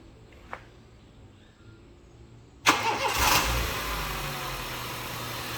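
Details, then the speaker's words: Used full-bodykit car, started: fires straight into steady, very smooth idle with no misses or knocks, responsive engine; front suspension noise noted separately. Normal engine start. "maksudnya sama-sama waras ya Ini keunggulan eh mobil yang yang full bodykit ini maksudnya alus banget sama-sama normal masanya sama-sama alus"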